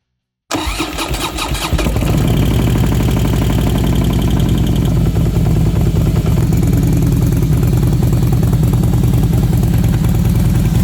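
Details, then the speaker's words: 2008 Harley Softail after replacing failed lifters that had damaged Fueling 543 cams: starts with brief light knock as the hydraulic lifters pump up with oil, then settles into a steady, even idle; the earlier squeal is gone. "Well, she sounds good to me. Got a little bit of knock when she fired up cuz those lifters needed to be pumped up by oil cuz they're hydraulic. That uh went away right away."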